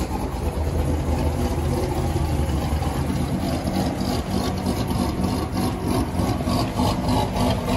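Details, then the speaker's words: V8 with stage 2 BTR camshaft: deep, choppy idle loping unevenly about three beats a second, the typical big-cam rumble of a healthy modified engine. "that BTR camshaft sounds absolutely amazing and I've been looking at the horsepower numbers as well"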